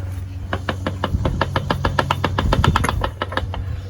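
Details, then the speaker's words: 1992 Mazda Miata differential, removed from the car and turned by hand: rapid metallic knocking about three a second; metal found in the oil at the drain plug; a rear bearing suspected, hopefully not the ring gear. "hear all that knocking that's that's what we got to get replaced i'm pretty sure it's got to be a bearing you can even feel it in here"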